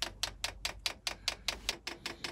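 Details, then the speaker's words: Chinese diesel air heater on an Eagle bus conversion, priming in pump mode: crisp steady ticking about five times a second; dosing pump installed backwards, blowing air into the fuel line. "you got your pumps backwards bubbles getting bigger that's blowing air into it"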